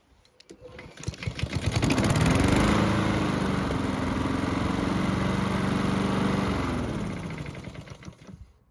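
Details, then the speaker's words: Free Honda mower, previously surging, restarted hot after running several minutes following carb work. It fires quickly and settles to an even, steady idle with no hunting or surging before shutdown. Light smoke noted. "So the good news is that the engine had no issues starting back up when hot. There's also no surging, which is great news."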